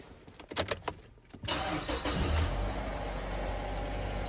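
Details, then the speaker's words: 2007 Mazda MPV 2.3 petrol automatic after an oil and filter change (5W30): a few clicks, quick crank, clean start into a smooth even idle, no knocks or ticks, oil light off. "oil pressure light is off, engine sounds good, No warning lamps coming on here."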